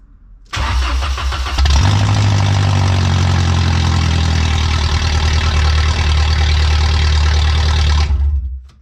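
Starter catches and the engine fires into a loud, deep, raspy drone that stays heavy at idle, typical of a leaking exhaust.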